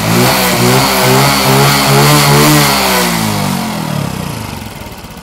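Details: Motorcycle with Thai-style engine build after full engine rework: crisp, even engine note rising and settling, only a light valve tick on top, no deep knocking; sounds healthy.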